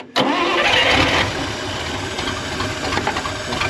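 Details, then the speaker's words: 1966 Dodge W200 Power Wagon, not run in 25+ years, cranked with the ignition switched from outside the cab. The engine turns over steadily with an uneven chug but won't catch. The carburetor is suspected low on fuel after the fuel line was just connected. "Carb might be low on gas because I just hooked up that fuel line."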